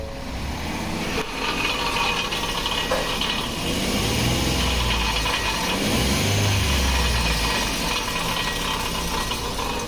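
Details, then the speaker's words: 2015 Ford F-150 with flashing check engine light and cylinder 4 misfire, plugs and coil already replaced: light throttle blip brings a loose metallic rattle underneath that swells with revs; catalytic converter honeycomb broken apart inside and rattling. "so basically you can hear that sound which is the inside of the catalytic converter rattling around so what has happened here we're pretty sure is that the catalytic converter itself has broken apart inside the honeycomb is actually broken and it's rattling around inside of the catalytic converter"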